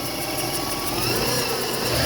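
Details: 1997 Lexus ES 300 with hard starting and idle issues, flooding, part jammed closed, reassembled: engine pulls up smoothly and evenly on throttle, no stumble or hunting; normal revving after fix.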